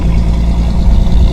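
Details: 1985 Ferio at about 87,000 miles, cold start with the microphone in the back: deep, even low rumble with a steady beat and no knocks or ticks; healthy cold idle.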